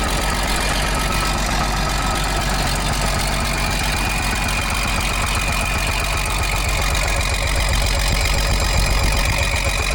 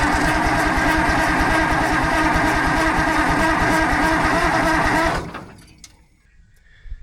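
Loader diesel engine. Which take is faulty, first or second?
second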